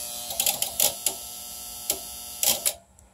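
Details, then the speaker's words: APC UPS modded to run from a 7s 18650 power wall, fed from a modified sine wave inverter to try starting it: irregular relay clicks in short clusters over a quiet hum as it fails to synchronize to the staircase sine wave. "it's just interesting that clicks because it's trying to synchronize to a modified sine wave inverter"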